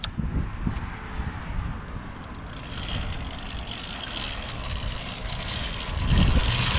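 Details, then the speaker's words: Two-stroke motorized bicycle with an NT carburetor. A rough, uneven idle that stumbles and surges irregularly, attributed to air leaking in past the loose carburetor and running lean. Erratic idle from carburetor intake air leak. "so to give you guys a quick little um you know help understanding what's going on right now what's going on is his bike is uh like having this weird idol like i was mentioning earlier"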